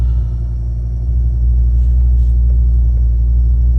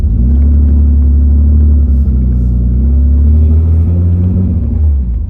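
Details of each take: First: 1986 BMW 535i E28 after remounting the throttle position sensor correctly into its idle position: low, steady, even rumble with no stumble or hunting, a smooth stable idle; the misplaced sensor was the cause. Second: BMW E28 inline-six driving under acceleration: deep exhaust rumble with uneven stumbling beat, shaking the car; misfire from one dead cylinder caused by a bent valve, running on five of six; valve to be replaced.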